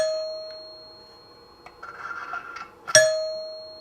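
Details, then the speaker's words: 1955 NuTone K14 recessed 2-note door chime, reassembled with its tips glued back and the resonators in place, which amplify the sound: a clear bell note rings out and fades, then one firm strike rings bright and full again. Normal tone. "substantially different because we now have the resonators in place and that amplifies the sound"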